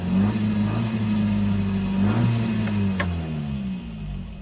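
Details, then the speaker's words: Ford Fiesta MK1 four-cylinder after replacing a bad spark plug with an NGK: now firing on all four and running well, but idling fast and steady well above normal; idle speed set too high. "You got four cylinders. It sounds pretty good there. The idle's way too high"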